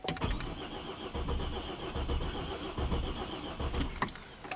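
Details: 2007 Buick Rainier 4.2 L inline-six, 175,000 miles, replacement engine from a 2008 Chevy Trailblazer, battery getting low: uneven starter cranking never catches; crank no-start traced to an incompatible crankshaft position sensor.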